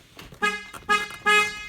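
Three short, bright two-tone honks ring out clearly; the horn sounds normal, so the relay swapped out was not at fault.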